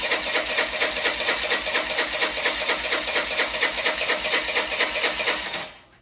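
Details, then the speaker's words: Old Honda Elite 80 scooter on the bench, carb refitted with fuel in the bowl, no throttle cable: rapid chattering about two beats a second for several seconds, then silence; fires only briefly on starter fluid before dying, cause unknown. "well this is what it does i have no idea why it will only run for a split second on starter fluid"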